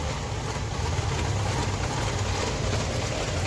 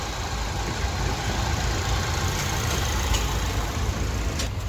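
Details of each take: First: Suzuki SX4 petrol/CNG car, started with jumper cables after standing 3–4 months: uneven, lumpy idle with a stumbling beat, misfiring on petrol but fine on CNG. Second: Suzuki SX4 petrol/CNG car that long-cranked and misfired on petrol after sitting 3–4 months; after fuel pump replacement, tank and throttle body cleaning, and spark plugs: steady, smooth idle, no knocks or dips; runs perfect.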